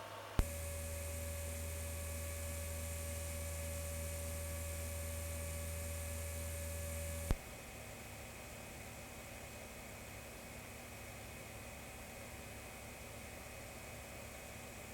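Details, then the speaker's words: Voxelab Aquila 3D printer after swapping the PSU fan for a Winsinn 60x10mm 12V silent fan. Steady low hum with a faint airy whoosh, no rattle or whine; the PSU fan runs quietly and evenly. "there are still three fans running on the machine but it's really not that bad and since the steppers are silent this is a win-win"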